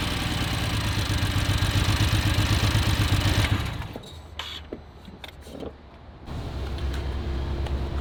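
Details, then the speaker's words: BMW F80 M3 that had been sitting, heard at a pre-purchase inspection: lumpy idle pulsing about four times a second, then dropping to a shaky, stumbling idle. Compression issues were later found, leading to a motor swap, so this is rough idle from low compression. "dude, she sounds pretty rough. I don't know, I know you wanted 20 grand, but like I don't think I can afford to pay that, just seeing as that it sounds like we're gonna have to put a motor in this thing."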